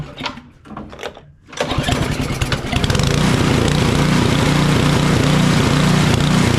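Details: Craftsman 28-inch snowblower with an 11.5 hp Briggs & Stratton 1150 Snow Series engine. It catches, then runs loud and uneven with a hunting, pulsing surge with the choke off, and runs well at half choke. It dies in deep snow. Carburetor or fuel fault suspected.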